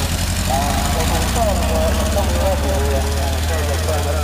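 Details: 1952 Fordson E83W pickup's 100E engine, freed after sitting seized since 1982 with two stuck pistons and valves, idling after first start in 27 years: steady, even low idle, no knocks or misses, crowd murmur behind; normal idle.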